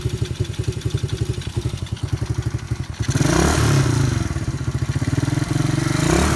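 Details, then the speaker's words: 125cc ATV after fixing no-start (new relay, ignition switch, plug, carburetor, intake manifold, battery, rectifier, fuel line and filter, rust flushed from tank), started with choke: small single thumping at steady fast idle, revving smoothly; runs well. "runs pretty good had to flush out the gas tank it was full of rust"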